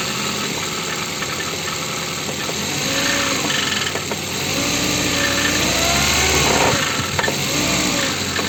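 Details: Ford engine: sharp tapping at about three per second through idle and revs that speeds up as the engine speeds up, an internal engine knock.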